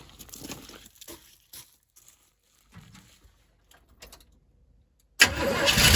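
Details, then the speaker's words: 1977 Chevy Silverado abandoned 4–5 years after a fire, fed from a gas can instead of the old tank fuel: after quiet shuffling the V8 fires right up and settles into a strong, even run. "Can't beat that. Fired right up."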